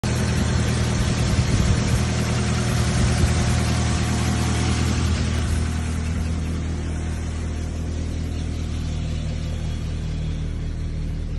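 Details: VW Golf V 1.6 FSI petrol idling low and heavy with a loose, uneven beat: cylinder misfire.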